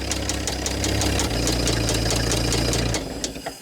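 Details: Old Dodge Power Wagon flathead just started on a new 12-volt coil, with a rough low idle. A sharp rod knock three or four times a second comes through the rumble; the idle won't hold without adjusting the idle screw.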